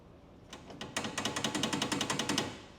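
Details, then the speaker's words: 1952 MG TD on a test drive: a quick metallic clatter in bursts from the left rear, where the suspension bottoms out and a loose part rattles. The cause was found to be something simple. "the um suspension is bottoming out and then that thing rattles"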